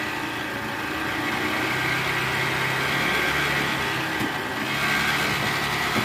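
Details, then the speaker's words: 2013 Toyota Alphard 2AZ-FE at idle, before repair: a very harsh, uneven drone from the oil pan area, caused by a destroyed balancer shaft, later replaced. "jadi gejala suara mesin kasarnya seperti di awal tadi bunyinya Kasar banget ya"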